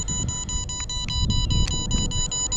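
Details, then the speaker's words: MJX Bugs 3 Mini drone with its battery being removed: a rapid string of high, evenly spaced beeps, about seven a second, over handling noise. Warning that the drone has lost connection to the transmitter. "As you can see, when you lose connection to the transmitter, battery beeps."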